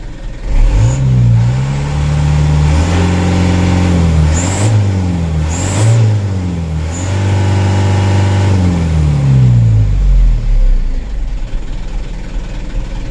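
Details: Young diesel vehicle, idle forced below 600 rpm. It revs up strongly, then wavers and lurches as the revs fall before settling back to idle: a stumble on deceleration. The oil filter appears recently serviced.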